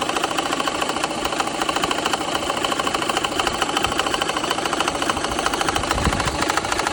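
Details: BMW N54 petrol engine idling with a quick steady ticking knock; cylinder 1 misfire apparently stopped by replacing the fuel injector, no check engine lights, knock cause unknown.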